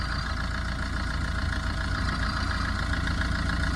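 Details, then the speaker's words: 2011 Tata Vista diesel, 124,000 km, idling: rough rapid low rattle underneath, three or four beats a second, from the drive shaft intermediate bearing housing, which is broken. "இந்த இன்டர்மீடியன்ட்டோட housing பாருங்கள், சுத்தமாக உடஞ்சி போயிட்டுருக்கு. இதனால தான் இது ஒரு நாய்ஸ் வருது."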